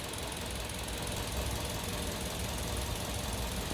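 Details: New Carens 2.0 LPI (LPG) engine, owner reported a misfire/stumble at stops; the symptom is not appearing now, and the plugs are already replaced; steady, even idle with no skips; normal idle.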